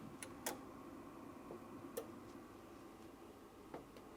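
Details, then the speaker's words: Sherwood RV-6030R A/V receiver under test with a 1 kHz signal into the CD input: sharp irregular clicks over a faint hum from behind the front panel; relay chattering, possible arcing, suspected connection issue near the bass/treble knobs. "there is some sort of arcing coming from the inside of the unit what is that huh there's like a small relay clicking coming from the back of the front panel hear that"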